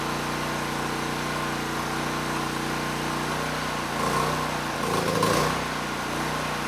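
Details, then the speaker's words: ETQ generator that hadn't run in years, with broken fuel valve and missing air box cover, running on full choke: small single-cylinder drone whose pitch wavers and dips before recovering; unsteady engine speed, carburetor suspected. "now the carburetor i mean it it runs the engine but it was struggling i did have to put the choke on at least as far as it would go to keep the engine running and after about 30 seconds i could turn it off but the engine speed was unsteady"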